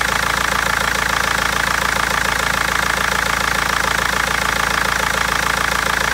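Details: BMW 320d diesel with a sharp, even ticking knock at about three and a half per second over a rough idle, plus reported misfires; injectors or tappet suspected, cause unfound by garage and seller after a month.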